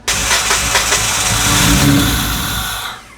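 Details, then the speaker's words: 2005 Kia Sportage 2.7L V6 that overheated from a leaking water pump, seemingly with compression on only two cylinders, cranked with throttle held wide open and brake cleaner sprayed in: the starter spins it in a steady whirring beat for about three seconds, but it never fires. "I'm going to hold the throttle wide open in the car this time see if this thing wants to run"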